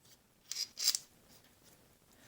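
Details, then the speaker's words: Gravitas stainless steel Skull fountain pen, first uncapping: two brief thin metallic scraping bursts as the cap turns, the very finely cut steel threads galling and screeching, smoothing out with each opening. "in fact the first time i uncapped this it um it galled a bit and you can hear you could hear it like screeching past it"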